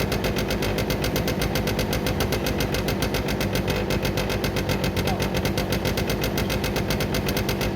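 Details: Derbi 100cc two-stroke after carb clean, airbox refitted, premix fuel, choke left on: fast, uneven chugging about four beats a second with sharp exhaust pops; rough running on choke, spark plug very wet and dark (fouled).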